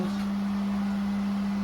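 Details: Water well pump after replacing a 40/60 psi pressure switch, building pressure from about 30 psi while filling the tank: steady, unwavering low hum with no chatter or surging; normal running.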